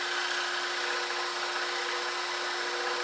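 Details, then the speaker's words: Scroll saw cutting wood against the grain: a steady saw buzz with a rough, fluttering edge; the blade is chattering. "Now I've got my noise canceling headphones on, so I don't hear the blade as much, but sometimes you can not only see, but actually see, feel, and hear the chatter. Like here I hear some chatter right now because I'm going against the grain"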